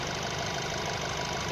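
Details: 2012 Nissan Tiida, HR16 four-cylinder, automatic, at idle: light, fast metallic chain-type rattle persisting after timing chain, tensioner, rails and sprocket were replaced; source not pinned down.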